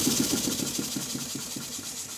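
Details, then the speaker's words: Restored Stuart beam model engine on compressed air, after piston O-ring fit, parallel motion reassembly and valve timing adjustment, steam chest gaskets not yet made: soft even chuffs about seven a second, light hiss, no knock; normal quiet running. "how quiet is it well i'll just speak next to the camera i think you'll hear that it's running fairly quietly"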